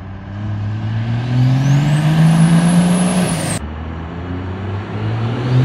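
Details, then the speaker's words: 12-valve turbodiesel on its first test drive: a thin, high squeal rising with road speed over the diesel drone, then cutting off abruptly; brakes seemed to be dragging, not just paint on the brakes; owner suspects a bad bearing, unconfirmed. "we took it out for our first test drive and if you listen to the video you can hear the squeaking we were hoping it was just the paint on the brakes but yeah it wasn't"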